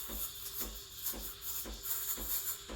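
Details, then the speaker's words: Breville Barista Express BES870 steaming milk for a latte, wand tip near the surface: soft, steady hiss with a regular paper-tearing rasp about twice a second, held for about 20 seconds; normal milk aeration. "you want to hear that hissing sort of paper tearing sound like tearing a piece of paper that sound right there you wanna hear it for about 20 seconds"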